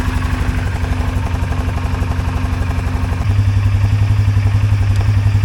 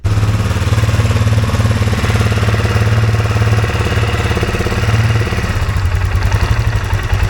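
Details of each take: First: 2023 Polaris Sportsman 570 ATV after fixing a high idle near 2000 rpm (wiring harness repaired, throttle position sensor removed and refitted): steady, even thrum at about 1350–1400 rpm, no hunting, no runaway when shifted into gear; normal idle. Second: 2023 Polaris Sportsman 570 idling near 2000 rpm instead of about 1200, hard to shift. A gap between the minimum throttle stop and the throttle plate holds it open. Fast, steady idle drone drops as the plate is pushed closed by hand.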